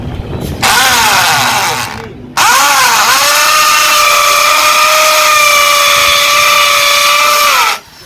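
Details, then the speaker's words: 13 mm impact drill (EID 13) whose hammer mode failed, after greasing and refitting the hammer mechanism: motor spins to a steady high whine, holding evenly while drilling wood, no grinding or rattle; hammer action fixed and working. "हमर काम कर रहा है तो हम यह थोड़ा बाहर का लेते नार्मल मूड में आ जाता है"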